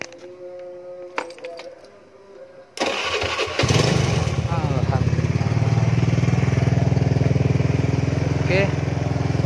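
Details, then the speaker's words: Carbureted Honda Beat scooter with lost ignition, started on the electric starter after checking the coil and pulser wiring. It catches first try and settles into a steady, even putter with no misses or rattles. Normal start and idle. "nah Alhamdulillah nyala teman-teman ya oke dia nyala berarti kita langsung pasang"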